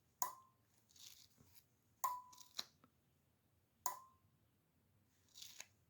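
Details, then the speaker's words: Dishwasher water-level air pressure switch from a GE front-load unit, bench-tested with air pressure supplied and an ohmmeter on the contacts: sharp single clicks every second or two as it opens and closes; the switch works normally. "I have the pressure line the air pressure line hooked up to a way to uh give it pressure you will hear the pressure sensor clicking on and off as I supply"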